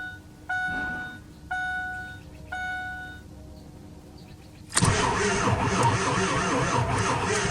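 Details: 2002 Ford F250 7.3 Powerstroke diesel sitting two years, glow plugs cycled twice, batteries sounding weak: after three warning chimes the starter turns steadily about three seconds but never fires; cranks, won't start, weak batteries suspected.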